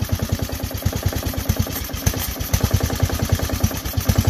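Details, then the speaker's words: Briggs & Stratton mower engine at idle: hard, regular knock about ten times a second, pronounced low in the engine, rod knock from a worn connecting rod bearing; choke also not returning on its own. "i'll take a quick video of this you hear that hear that rod knock on the bottom"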